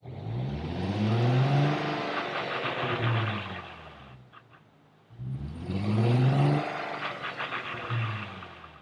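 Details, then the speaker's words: 2004 VW GTI MK4, 6-speed manual: engine surging and easing off twice, droning gear whine swelling on deceleration; fixed with a washer install and transmission fluid change. "That, my friends, is one noisy transmission. This is a 2004 GTI with a 6-speed manual. That was a terrible transmission noise, and in this video, we're gonna figure out just what the heck is going on."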